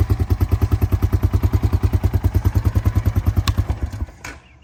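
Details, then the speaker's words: 2000 Honda Foreman 450 ATV, single-cylinder, being fixed up after a no-start: an even, steady idle thump with no misses or knocks before shutting off; runs clean and healthy. "So, it sounds pretty good."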